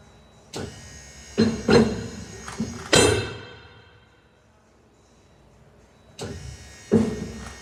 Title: Leveling Jacks Making Noise